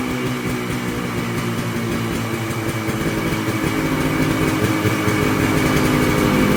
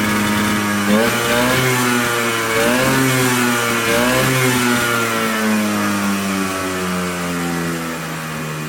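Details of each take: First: Polaris Colt two-stroke after new fuel parts, cold weather, no choke cable; now idles on its own (didn't before), steady quick even patter but noticeably above normal idle speed. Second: Polaris Colt two-stroke, no choke cable, idling a little high; climbs and drops cleanly through several blips without stumbling, revving out much better than before.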